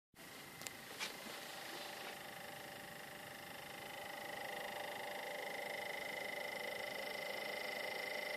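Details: Sony PlayStation 4 console making a strange noise: quiet, steady high whir with a faint tone climbing a little, plus a few early clicks, cause unknown; abnormal whirring.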